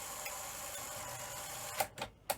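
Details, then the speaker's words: Sony SL-HF100 Betamax in for poor playback, before repair, with a loose spring found inside: three quick, crisp clunks as the cassette loads, no grinding or hesitation; loading is prompt and healthy. "so the deck sounds pretty good to be fair um loaded nice and quickly"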